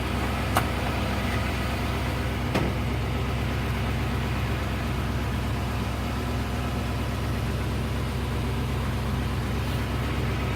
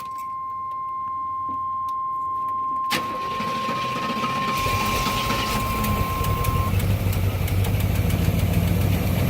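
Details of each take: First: 1989 Avanti convertible after replacing the temperature sending unit and idle control valve: steady, even idle with a smooth low rumble, no hunting or stumbling; the idle comes down and it no longer stalls, though which part fixed it is uncertain. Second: 1989 Avanti convertible started after replacing the temperature sensor and idle control valve, with cleaner sprayed; thermostat swapped from 195 to 180. Catches after a few seconds, then uneven, lumpy idle; owner suspects the cleaner caused the rough running.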